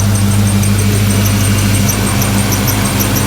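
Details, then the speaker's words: 1995 Ford Mustang GT 5.0 after new pulleys, idler, tensioner, plugs and wires: V8 idle with a faint, thin, pulsing whistle from grease on the belt, expected to go away soon. "Oh, we got a little grease on the belt when we were fighting, so it'll go away in a little bit."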